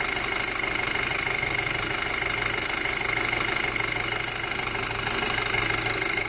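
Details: 2007 Passat 2.0T at idle: loud, fast tapping about three a second over a hissy engine note; loud ticking, cause not yet clear.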